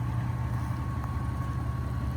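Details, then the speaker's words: 3rd-gen Toyota 4Runner cruising after replacing a worn U-joint that caused a vibration around 50–60 mph under acceleration; steady low road drone, no rising shudder or beat under throttle, driveline smooth; exhaust rattling on heat shield noted. "You know, usually get up to like 50 or so. It was pretty bad. A lot better."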